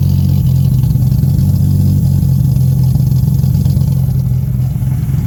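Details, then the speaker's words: Freshly built forged Nissan RB30ET turbo six in an R31 wagon, first start with healthy oil pressure and fresh cooling system; steady, smooth drone with no knocking or rattle, super responsive: normal running. "SS good but sounds real good and it's super responsive like straight away this is going to be sick"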